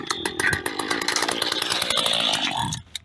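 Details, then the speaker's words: Mantis cultivator tiller pulled from a scrap pile, with compression but a bad primer ball: small two-stroke buzzes raggedly at high revs then cuts out after seconds, running only on fuel poured into the carburetor. "Dumped some gas on the carburetor using the gas cap. Put some on there and dumped it. There she is. She's fired right up."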